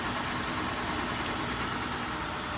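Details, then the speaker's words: Car idling just after a jump start from a battery pack because the battery was drained by a light left on: steady, even, smooth low hum with no knocks or misses; alternator now charging. "So the car is started. You can let it run for a little bit."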